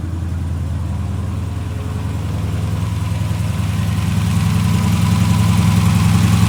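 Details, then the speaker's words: Cammed V8 after Edelbrock intake manifold swap with 92 mm throttle body, fuel primed, heard from the rear: deep lopey idle, steady choppy pulse, loud but even, settling as it warms; healthy. "Like I said, it is cam, so it's gonna be loud, so y'all can hear what it sounds like."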